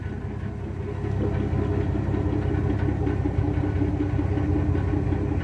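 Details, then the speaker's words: 1981 Ford Mustang, 200 inline-six, new HEI distributor, T5 manual: low, slightly slow idle with a light irregular metallic rattle; rattle source unknown. "now it's interesting cuz you hear this bit of a rattle I don't know what it is but yet if I actually get the RPMs to where they should be just by revving it like once well see now that's interesting"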